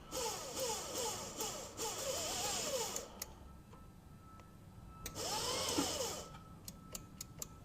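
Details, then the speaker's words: 1961 VW Beetle barn find: starter jumped by touching two leads together, ignition not hooked up. High wavering whirring bursts then light ticks; the starter motor spins but never engages the flywheel. "we're just touching two things Yeah. together, and they should just... It should engage, and Engage. it's not."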